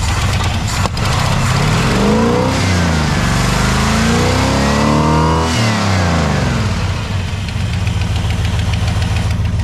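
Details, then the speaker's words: Truck after distributor timing set at about 33° total advance (vacuum advance disconnected), still on mechanical fuel pump: revving sags and stumbles off idle then smooths at higher RPM; hesitation on acceleration, owner suspects carburetor issues; exhaust leak also present. "And then when we go to rev the truck up, I think we're having carburetor issues. She kind of flipped on herself, but you get her up there in RPM, it's good."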